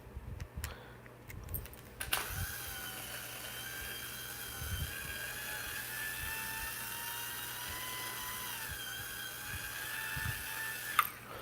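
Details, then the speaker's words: Dodge truck on a raceway: a high, thin motor whine holds steady, then sags slightly in pitch as the motor loses power; a bad connection is suspected, not confirmed. "Yeah, I may have a bad connection here. Go figure. That sounds like it's losing power."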